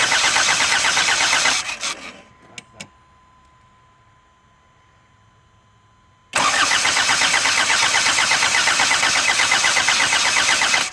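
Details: 1984 Isuzu Pup: steady fast starter churn, about three beats a second, stopping then cranking again; engine turns over but never catches or fires.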